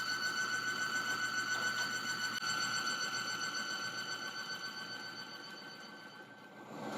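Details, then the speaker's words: Bearing test rig held at about 65 ft-lb: a steady, high squeal under heavy load that fades near the end as the bearing overheats and smokes; with the additive the bearing later runs quiet. "I'm gonna hold it here and let it get really really hot you're gonna see smoke smoke coming off that bearing"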